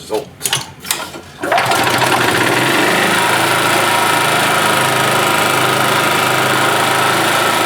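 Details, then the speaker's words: 1991 Yamaha G8 gas golf cart engine after carburetor cleaned of junk and worn-out fuel pump replaced, mixture screw adjusted; after a few knocks it catches and settles into a steady, even buzzing idle with no hunting or misfires: running properly. "that is working as it should all right guys well there you go carburetor had junk in it and the fuel pump was shot"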